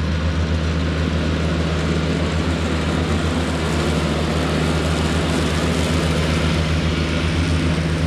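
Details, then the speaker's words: Cushman front-deck diesel mower, bought as scrap with a supposedly bad hydraulic pump, tires freshly aired up, mowing grass: steady low diesel drone with constant throb and blade whir over the top, no knocks or misses; normal running under load. "all right so mowed the whole yard with this thing um it mows nice"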